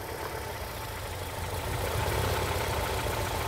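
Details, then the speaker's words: 2011 Ford Escape 2.5 L with P0301, power balance test at idle: rough, lumpy idle stumbling irregularly; unplugging cylinder one coil or injector gives no note change, confirming cylinder one misfire. "So we already know our problem is on cylinder one just by doing that. All right, so you can see here that cylinder one is definitely looking like a problem."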